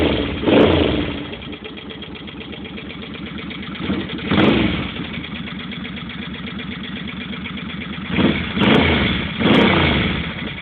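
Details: 2005 Suzuki Boulevard C50, just bought, recorded on a phone: light rapid tapping over the idle that speeds up with each rev; engine tapping noise, cause not yet pinned down.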